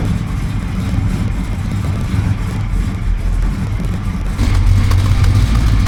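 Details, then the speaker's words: 1966 Coronet 426 Hemi V8 after rebuild with new valve springs, dual exhaust with cutouts, air cleaner off, warming up: deep even burble with strong low rumble, slight swell at the end; healthy normal idle. "Give it a minute, warm it up. Sounds great, let me tell you. Sounds like a real muscle car."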